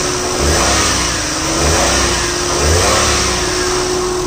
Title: Alto K10 2012, Engine noise.